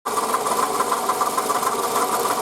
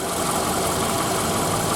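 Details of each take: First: 2008 Toyota Camry 40, 2AZ-FE 2.4 L, 176,000 km, original water pump and idler pulleys: steady idle with fast, even light knocking that follows engine speed, growing louder since the previous evening; worn original water pump bearing, replaced along with belt and coolant. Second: 2008 Toyota Camry 40, 2.4 L 2AZ-FE, 176,000 km, after replacing the water pump, belt and coolant: smooth, quiet, even idle; the earlier knock is gone and the engine whispers, all working normally.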